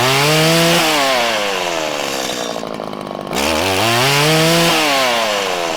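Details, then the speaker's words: 1997 Stihl Pro series FS two-stroke trimmer while tuning the low-side mixture screw: revs climb with break-up and hesitation, and a larger dead zone, when too lean; backed out until it revved up happily to top end. "you could hear when i went too lean and it started to break up and it was having trouble ramping up there was a larger dead zone and then i backed it out until the motor happily revved up to its top end"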